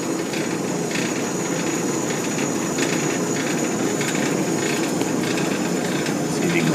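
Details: Old Maytag gas dryer after replacing high limit switch (210°F to 250°F), pilot lit: even rushing burner roar over steady drum turning, no scraping or knocks; running normally with good flame.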